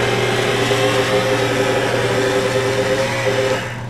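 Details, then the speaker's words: Original Bridgeport mill power feed, mill running on a Teco L510 VFD in a garage without three-phase power: steady even motor whine with a faint regular rattle, constant throughout; normal power feed operation. "I'm glad I was able to keep the original Bridgeport power feed"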